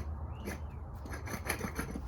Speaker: Hey, this worked out pretty good. Look, it's got the connection, so we shouldn't have an ABS light on unless something else is wrong with the other side. But anyway, here's how rough this sounds.